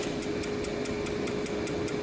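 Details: Blue tungsten electrode in a machine arc-starting TIG at 200 amps, 2,400 starts per electrode. Sharp regular ticks over a steady hiss and hum, with extra zipping ticks and early sputters. These are misfired arc starts, where a spark occurs without a flash.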